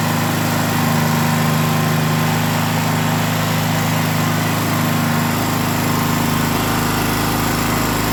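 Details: Gasoline generator that had been shutting off after about 5 seconds, after reconnecting a fuel inlet hose that was pinched by the air vent frame and cutting off fuel: even, steady drone at constant speed with no surging, sputtering or dying; normal running after repair.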